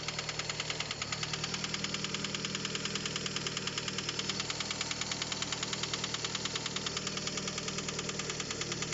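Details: 2007 Fiat Albea, at idle, no fault code: sudden sharp, even ticking knock at roughly three per second over steady idle, no misfire; cause was a stuck VVT phaser valve, cleaned and knock gone.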